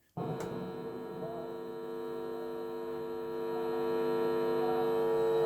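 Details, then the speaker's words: National Panasonic RX-1490 radio cassette recorder playing a tape: loud steady low hum drowns the music and changes with the volume control, so it is in the audio circuit; cause not yet found. "all right we've got that bad hum still which is through the circuit because the volume adjusts it"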